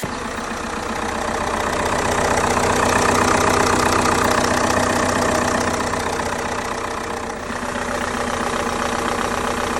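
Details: 2013 Vauxhall Insignia 2.0 CDTI diesel (A20DT) after timing belt and water pump replacement, first start: even, steady diesel clatter at idle, no knocks, squeals or rattles; auxiliary belt running true, normal idle.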